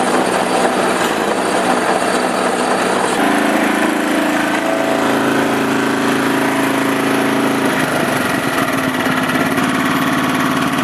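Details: Honda HS928 snowblower after auger gearbox repair, run without snow: small engine steady with busy mechanical whir and brief hum midway, no grinding or knocking; sounds healthy.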